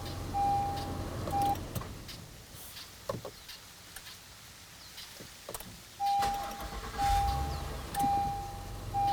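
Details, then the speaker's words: Honda Passport, 3.5 L V6, battery disconnected, repeatedly started by the ULIXWH jump starter, seven starts in a row; short bursts each firing promptly, quiet gaps with a steady beep between. Normal cranking and start. "what we're going to do is try to start the car with no [Music] battery and you can hear that the car started now let me shut the car off"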